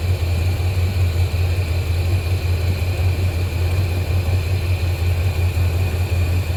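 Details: 1987 squarebody Suburban with swapped 454 big-block V8 (SM465/205), new exhaust, engine hot, after reseating a loose plug wire on cheap wires: deep, fairly steady V8 idle rumble, no obvious misfire gaps or ticking. Normal idle.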